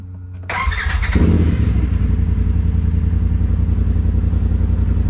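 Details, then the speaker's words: 2020 Polaris RZR Pro XP after an Aftermarket Assassins Stage 3 clutch install, level 3 tune, 1-2-2 weights and 32" tires: runs steadily, no belt slippage or chatter; the clutch grips and engages normally. "that thing gets up and goes uh no belt slippage it just grips and goes the whole the whole time"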